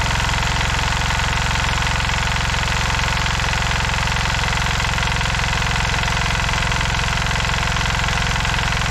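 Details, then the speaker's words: 1970s Hatz air-cooled single-cylinder diesel on a compactor roller: steady, even diesel thump about three beats a second, no knocks or misses; healthy idle, though the drums are stuck. "oh yeah so yeah this thing runs dandy"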